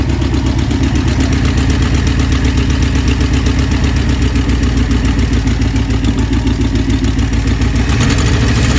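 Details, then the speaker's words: 1966 Ford Thunderbird 390 V8 idling shortly after first start with new carburetor: deep, steady, even pulse with no hunting or stumble; best it has ever run. "Literally a minute, 30 seconds later. Again, that's the best she's ever run so far."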